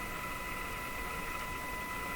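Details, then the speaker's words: Moffat Crosley Model G2465 five-tube radio during IF alignment, signal generator lead moved from the chassis to the B-minus: test tone now clean and steady over a soft hiss with no crackle or warble; the wrong ground was likely the problem. "that sounds a lot better okay that that was probably the problem here with what I was doing"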